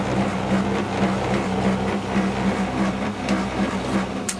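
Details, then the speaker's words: Tumble dryer bought August 2007, months old: low steady hum with slow uneven rumble pulsing about once a second while turning; rumbling noise. "That's it. Noisy old tumbler."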